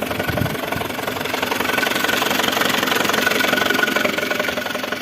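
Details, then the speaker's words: Mercedes A160 engine at idle: light, even tapping near three knocks a second over the engine, a top-end knock; owner suspects the timing chain or chain tensioner, not confirmed. "Mercedes а160 что может быть вот этот вот тух тух тух тух тух Может есть у нас эксперты какие-то подсказывайте"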